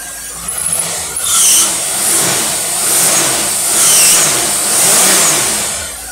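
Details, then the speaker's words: Rochester two-barrel manual-choke carburetor tested on a running engine: engine revs up and drops back in smooth repeated swells with clean throttle response and no misfire or stumble; carburetor running properly. "man it's a great running carburetor listen to that thing for me she runs good"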